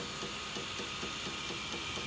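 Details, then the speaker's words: M3D Promega 3D printer extruder: soft clicks about four a second over faint whir as the stepper skips and can't push filament to the hot end, causing under-extrusion; stops when pushed, free-spinning spool, current 0.4 A of 0.45 A max. "there goes the extrusion motor again, not able to power through and push the filament into the hot end."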